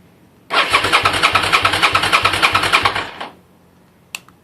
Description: This is what it sounds like when the fuel pump on a SV650 is dead. The actual sound you're hearing, the two short buzzing sounds, are the injectors trying to send fuel into the engine.